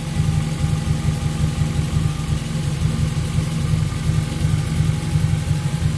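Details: After cleaning and flow-testing the fuel injectors, the car that had run lean with a spike around 3,000 rpm since its first tune holds a deep, even note with no misses or stumbles; normal running, she's back.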